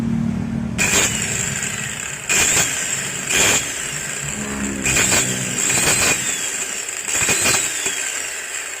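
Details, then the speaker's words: Maktec MT90 angle grinder before repair, in repeated short runs: a high shrill whine with a gritty, crunchy rasp on each spin-up; the disc wobbles when cutting, pointing to a worn bevel gear and upper bearing. "nah yang pertama udah kedengeran suaranya terdengar Crush Ashar terus ini kalau dipakai atau kalau dipakai buat motong itu matanya Angel OST"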